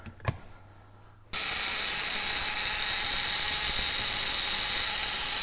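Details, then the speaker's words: 1901 Curved Dash Oldsmobile ignition coil on a coil tester: harsh, steady high buzz for about four seconds with no flutter; the coil draws more current than wanted, so the points need adjusting. "it's drawing a little bit more amp than I want it to draw you can kind of hear the difference in the sound of it too"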